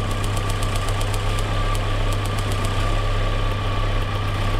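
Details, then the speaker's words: Petrol engine with a cylinder 3 misfire (coil shared with cylinder 2) at steady idle, with crisp ticks about six a second as spark arcs through a deliberately pierced boot on a bad spark plug wire with excessive resistance. "you hear that tick tick tick tick tick tick every time the cylinder misfires now watch this I've I've pierced the boot right here but I did it on purpose because I know that the spark plug wire right here is bad"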